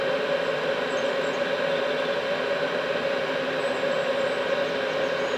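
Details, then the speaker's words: Cheap Chinese diesel night heater after shutdown, still very hot, in its cool-down phase, where the glow plug comes back on, possibly to burn off excess fuel. Steady, even fan whir at a constant mid tone, no knocks or rattles; normal cool-down. "t's now just cooling down it's still very hot the fan will keep going for some time just to make sure everything really has cooled down"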